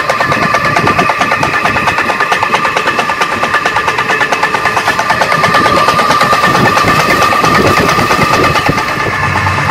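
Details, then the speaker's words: Old donkey water pump motor with badly worn piston: loud rapid clatter about ninety beats per minute, heard before adding oil; noise much reduced after oil. "यह बहुत पुरानी pump है और इसका piston काफी कटा हुआ है लेकिन फिर भी इस ऑयल को देने के बाद इसकी पहले वाली आवाज में बहुत ज्यादा फर्क आ चुका है"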